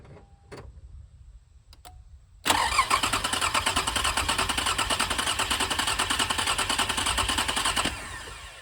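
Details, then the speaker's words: 2006 Toyota Highlander 3.3L after water pump replacement, EFI fuse pulled so it won't start: even starter cranking at about three and a half beats per second for five seconds without firing, turning over freely and smoothly; timing belt tensioner later found loose. "We're gonna do that again, because for the first few rotations, I don't want the car to start. I just want to crank it over, make sure everything sounds good."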